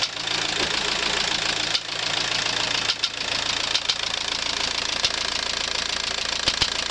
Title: Стук в двигателе AWX